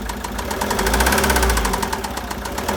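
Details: 2013 Citroën Jumper II (250) 2.2 diesel 4HH, 131 PS, 294,000 km, with a failed cooling system: steady idle with a fast, even knock ticking over the rumble, from a bearing failure.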